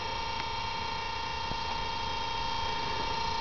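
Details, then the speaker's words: Antique Crocker-Wheeler 1/6 hp two-pole DC motor, 115 V, 1.75 A, 1600 rpm, patent date 1891, run on about 115 V from nine car batteries; steady hum with buzzy whine and faint ticks, most noise from one brush, cause unknown: noisy running motor. "can't figure out why cu vast majority of the noise is coming from this brush can hear how quiet the other brush is"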